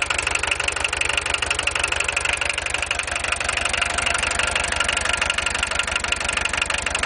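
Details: VW 1.6 TD diesel at idle: steady sharp, even injector-type clatter about three knocks per second throughout; owner asks whether it clatters too much, cause not pinned down.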